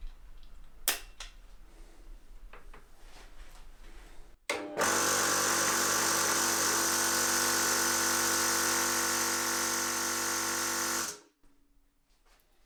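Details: New 4500 PSI HPA compressor for airsoft/paintball, first test run, no tank connected: kicks on with steady even buzzing hum and fast regular pulsing for about six seconds, then stops cleanly; running normally.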